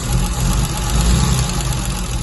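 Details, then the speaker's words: MGC 3.0 straight six, first run in about 33 years, carbs rebuilt, no coolant in it, oil reaching the rocker tops: low, slightly lumpy but steady idle with no clear knocking. "First time in about 33 years, I think it was."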